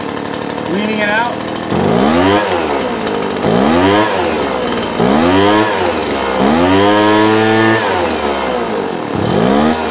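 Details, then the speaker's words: Two-stroke blower with the low-speed jet screw set lean: each trigger pull the whine climbs slowly, then sags, bogging and never reaching full revs. "all right you see how kind of now it's bogging down and won't even come up at all"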